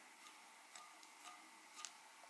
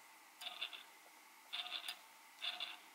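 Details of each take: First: Eachine Tyro99 5-inch drone front motor spun by hand after about 10-12 flights: very faint smooth whir with soft ticks, quiet good bearings, unlike the noisier rear motors with poor-quality bearings. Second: Eachine Tyro99 5-inch drone motors hand-spun after 10-12 flights on 4S: three short whirs with gritty, rasping high-pitched edge from the noisiest rear motor; owner suspects poor quality bearings.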